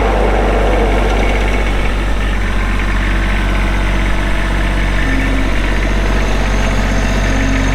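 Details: Kubota B7500 tractor, 21HP diesel, hydrostatic, 1,249 hours: the engine settles into a steady, low, even idle with no knocks or odd noises; a healthy, normal idle.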